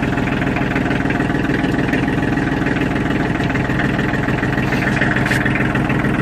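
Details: Kioti DK35/45 tractor diesel after timer relay replacement (engine previously wouldn't shut off with key): steady diesel clatter at even idle, regular beat, no uneven knocks; normal idle.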